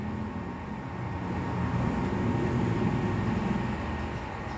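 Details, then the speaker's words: PS3 Slim that shut itself off during play because its cooling fan wasn't spinning, tested again with the case closed; steady, even airy whir with no rattle or surging; normal cooling fan after the fix. "bener-bener nggak ada bunyinya tadi sekarang ada"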